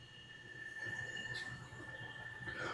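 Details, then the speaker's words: Metal lathe bought non-running and disassembled, running after cleaning, painting, reassembly and rewiring: steady even high whine over faint low hum, no knocks or grinding; runs smooth and healthy. "Not bad for a lathe that was in a bunch of pieces and boxes. I'd say it runs good."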